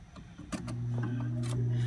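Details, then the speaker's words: 1960s–70s Philco Noiseless 6800 BTU window air conditioner on low fan before the compressor is started: after a few handling clicks, a steady low hum with no rattle or scrape; fan runs normally on low. "we'll go ahead and plug it in so you can hear it run first we'll start out on low fan"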